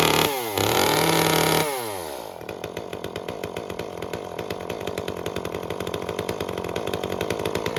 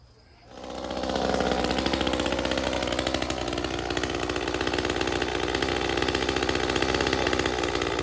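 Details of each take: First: Echo CS-355 chainsaw after clogged screen cleaned and limiter cap removed to lean the mixture about half a turn from factory-rich setting: brief high rev, then crisp, even two-stroke idle; mixture cleans up and runs properly. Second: Echo CS-355 chainsaw after clearing a clogged screen: both carburetor adjust screws at their leanest preset settings, yet it still runs slightly rich with a steady, blubbery buzz that never cleans up; factory setting was pretty rich.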